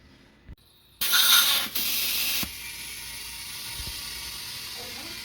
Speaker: again oh good when you hear that sound that means the tire is set it's good now it's time to put this uh back